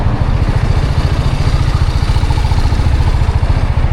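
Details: TVS Apache RR310 motorcycle, about 14,000–15,000 km, hot at 109° with the fan running, idles with a lumpy beat and a light metallic clacking after a crash. The owner suspects the chain tensioner or valve adjustment; a mechanic suspects the top-end camshafts.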